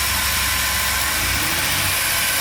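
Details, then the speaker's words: GMC Safari (Chevy Astro) 4.3L Vortec V6 after plug, cap and rotor tune-up for P0305 cylinder 5 misfire: quick start, steady even idle under hiss, no misses or stumbles, still in open loop, not fully warm; normal idle. "just give it a quick start here we go nice and smooth all right it's still running in uh open loop"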